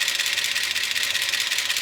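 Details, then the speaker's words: Gen 6 454 big block Chevy in a 1976 C30 dually at idle with over 60 psi oil pressure yet top end bone dry: fast, light, crisp metallic ticking over steady idle; lifters clattering, no oil reaching the top. "I've tried revving up the engine. There's nothing. No oil is getting up to the top."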